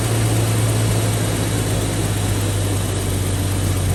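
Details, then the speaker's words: 1991 Jeep Cherokee XJ 4.0 inline-six just after a spark plug change, first start: deep, even hum holding steady with no stumbles or misfires; normal healthy idle. "Perfect. One, no misfires. Sounds great."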